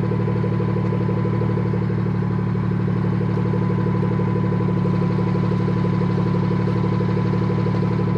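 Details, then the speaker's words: BMW F30 340i after fixing the exhaust valve rattle by fitting a new clip: steady deep exhaust burble with an even pulse and no tinny rattle on top; the exhaust valve is now quiet. "all right i'd say that that is a good fix and um even though it's not quite loud never seem to come outside"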